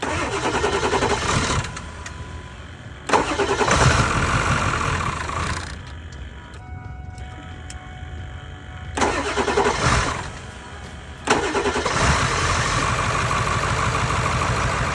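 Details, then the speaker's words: Salvaged 7.3L diesel truck, grille and hood off, fresh batteries both sides, first start: cranks a few seconds, catches and settles into steady even idle after a couple of blips; sounds good; normal start and idle. "Yeah, that's a check your engine, all right. Sounds pretty good."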